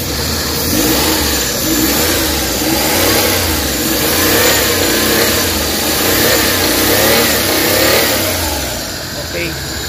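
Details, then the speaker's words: Suzuki DA64/DA63/DA17 after fixing a burnt wire causing vibration with AC on: engine accelerating with air conditioning running, smooth even note, no vibration; wiring was the problem. "Okay na. Wala ng vibrate pero waskat ang kahtang dahil wiring ang problema nito."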